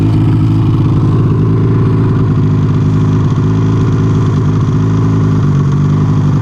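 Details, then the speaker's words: Arctic Cat snowmobile on a trail ride, not back shifting; loud steady low engine drone at constant revs with a rough hum, owner suspects snow in the clutches and the primary clutch gripping the belt too hard, abnormal clutch noise. "Something's holding on a little too hard, I think. Snow. Snow in the clutches. What's that? Sounds like weird. It's holding, that primary clutch is holding the belt too hard."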